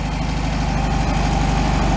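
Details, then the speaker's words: 1965 VW Beetle air-cooled flat-four after complete rebuild, out by the river before a drive: even steady low putter at idle, no knocks or misses; normal idle, running pretty good. "running pretty good after a complete rebuild we'll go for a drive"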